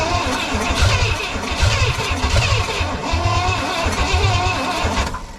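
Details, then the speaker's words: 1969 Pontiac Bonneville 428 wagon, sitting since 1981, on poured-in fuel with the carb dripping fuel: deep, labouring starter churn, about two slow turns per second with pushrods turning; slow cranking. "It's pretty slow though. And it looks like it's dripping fuel out of the carb."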